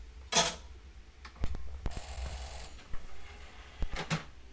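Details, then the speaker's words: PS2 (version 9 or 10) with disc read errors and hang-ups: scattered clicks and a short harsh grinding buzz as the laser sled moves. The laser worm assembly is partially seized, so the worm drive binds; optical drive laser sled grinding. "so it would appear therefore that we have an issue with the worm motor so the noise you can hear if you've got one that's doing similar the best way to test which uh part of the mechanism is at fault"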